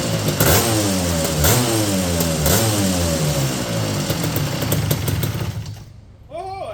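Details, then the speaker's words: 1988 Suzuki LT250R two-stroke 250cc sport quad, 5-speed manual, unheard before purchase and said to need a clutch; after carb reinstall it starts on choke in neutral, a crisp two-stroke rattle rising and falling cleanly through blips while warming up, no misfire: normal running. "I'll put a little more gas in this thing and get it warmed up. See if it'll idle and everything. Well, we got a runner."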